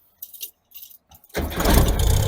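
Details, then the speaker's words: VW Thing ('73–'74) with a top-end-rebuilt air-cooled engine, undriven for about a month, started in neutral without touching the gas: keys jingle, a short crank, then it catches at once and settles into a smooth, even idle. Normal cold start. "Wow, you didn't even hit the gas. Nope. And what's crazy is I haven't driven it in about a month, and it started up the same way without even touching the gas."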